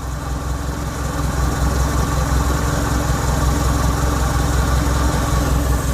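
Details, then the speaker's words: Used car being inspected before purchase: engine idles with a low, even rumble and steady firing, no knocks or misses; sound is smooth, not rough, a sign of a healthy engine. "masih bagus ya teman-teman ya tidak kasar suaranya masih halus"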